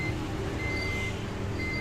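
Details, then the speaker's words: Desktop PC left unused a long time, first power-on: high beeps repeating two at a time then a gap, over fan hum; memory-fault POST code that typically appears after long disuse. "On பண்ண போது சிஸ்டமில் இருந்து ஒரு beep sound சரியான ஒரு இடைவெளியில் கேட்டுக்கிட்டே இருக்கும். அந்த பீப் சவுண்டை அப்சர்வ் பண்ணுங்கள். இப்போ வர இந்த பீப் சவுண்டை நீங்கள் கவனிச்சிங்கன்னா 2 முறை பீப் சவுண்ட் கொடுத்து ஒரு கேப் கொடுக்குது."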